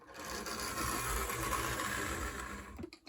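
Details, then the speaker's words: AHM BL2 HO-scale model locomotive on its test run after mechanical repairs: a steady whirring motor hum with light, even gear chatter and no grinding or binding. Normal running, quiet for an AHM. "This is actually pretty quiet for one of these old AHM engines, which is kind of a surprise, honestly, given the condition it was in when we started."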